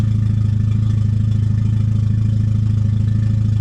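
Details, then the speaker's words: Petrol car engine just restarted after a misfire repair, idling smoothly with an even low pulse once the idle settled down. The earlier roughness was rough idle, not a misfire. No leaks or misfire were noted, and the engine was not yet fully warmed up. "And yeah, it actually sounds decent now that it's idled down and it figured itself out. She sounds all right."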